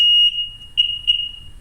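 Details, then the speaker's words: Sea-Doo Sportster/Speedster jet boat with the starter solenoid being refitted after a no-start: sharp beep, then two clean chirps. Normal key beeps. "let's see we get a perfect key beep and i'm sure it'll try to fire [Music] okay guys so now it sounds like it's supposed to get two key beeps"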